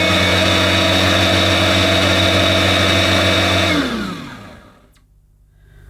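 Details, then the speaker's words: Dirt Devil RoomMate DD760 bagless upright vacuum (230V, 50Hz, 250W) at its initial switch-on: a steady, even motor whir with a clean high whine and no rattle, then a smooth spin-down. Sounds okay. "I think that sounds okay to me. Let's see if the brush roll is rotating properly."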